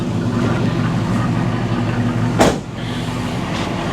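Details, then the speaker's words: 1984 Chevy C20 V8, carbureted, heard from inside the cab with the window slightly down after repair work: steady, even low rumble with no misses, knocks or ticks apart from one brief bump; running smoothly, though it still needs slight fine-tuning. "listen how smooth and in the cab it is so smooth in here"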